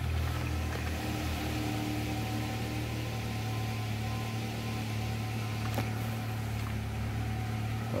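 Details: 2021 Nissan Altima after IPDM replacement and configuration fixed a no crank no start: smooth, steady low hum with no knocks, misses or surging; engine idling evenly.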